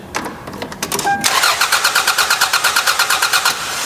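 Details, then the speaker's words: Car being checked for a bad fuel pump: starter cranks evenly at about three turns a second for two seconds but the engine never catches; crank, no start, with a failed fuel pump suspected, not confirmed. "now some of you may know a bad fuel pump could cause a crank but a no start"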